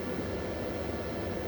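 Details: Repaired 24 V inverter outputting 230 V, loaded with a 600 W lamp, about 26 V and 695 W at 30 A from the battery: constant rushing fan noise with a low steady drone, no buzzing or crackle; running normally.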